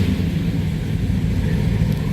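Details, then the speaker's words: 1969 Chevrolet Chevelle SS 396 tribute big V8: deep steady rumble at an even, lopey idle with no knocks or misses; runs and sounds healthy and strong. "does it ever run and sound nice"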